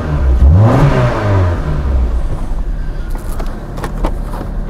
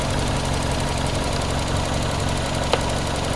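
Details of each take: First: 1994 Toyota Celica, single ignition coil replaced two years earlier: engine starts into lumpy stumbling idle with irregular pops, a severe misfire from intermittent weak spark on one cylinder (cylinder two). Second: 1994 Toyota Celica, single-coil ignition, intermittent weak spark on one cylinder, distributor cap suspected: just started, steady even idle with no stumbles or skipped beats; the misfire is absent at the moment.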